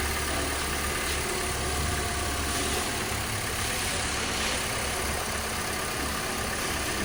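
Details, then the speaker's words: Honda Civic at idle after replacing the water pump whose bearing was making noise, with fans running to settle the coolant: steady, even idle with a smooth low hum and faint hiss, no whir or bearing rumble left. "Start करने के बाद मैंने आपको आवाज़ सुना दी है। गाड़ी हमारी बिल्कुल 10/10 ओके हो चुकी है।"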